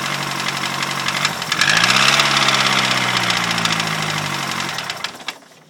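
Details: Ford Fiesta RS Turbo engine, described by its owner as dead, idles with a sharp, steady knock about four times a second over the running noise.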